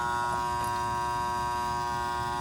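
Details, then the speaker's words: Goodman gas pack (package unit) on a no-cooling call: steady electrical death buzz with no motor spinning up, thought to have started today; sign of the "run cap bandit" spotted, run capacitor suspected cause of motor humming without starting. "I think I hear the death buzz. I heard that that just started today, I think."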